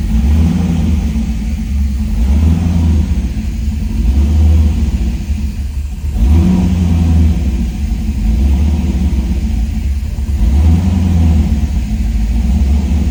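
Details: 1978 Trans Am SE with LSX/LS6 swap and FiTech, just after first start, about 10 seconds run: rough, lumpy V8 idle with low uneven rumble that gradually steadies, no knock from the front; fresh engine settling in.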